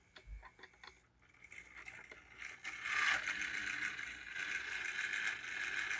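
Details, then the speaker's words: Old AHM ALCO 1000 model locomotive, motor repaired after not running, still needing run-in and oil: motor ticks and stutters in bursts, then whirrs steadily before cutting out. "But for now, it's running, I say right as it cuts out, of course. It just needs to run in."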